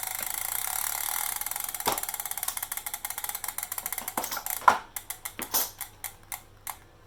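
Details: Elite direct-drive bike trainer: fast ticking that slows to separate knocks about twice a second as the flywheel coasts down, a repeating mechanical knock in the trainer.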